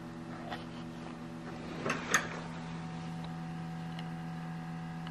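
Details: 2019 Subaru Crosstrek parked with engine off: faint steady buzzing hum with a few light ticks; normal fuel/emissions (EVAP) system self-test, mentioned in the owner's manual.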